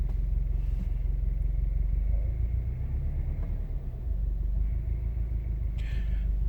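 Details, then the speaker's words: 2017–2018 Subaru WRX STI boxer at idle: very low, lumpy idle with a deep droning rumble and uneven shake, whole car vibrating; owner blames the idle speed set by the factory software and plans a tuner fix. "good morning these cars never fail to amaze me like I'm sitting here the entire Kyser vibrating do you hear this it's idling solo"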